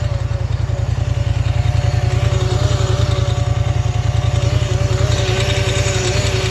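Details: Polaris Scrambler XP1000 S: even thumping engine pulse about two per second with thin wavering whine on top; unidentified engine noise, cause unclear.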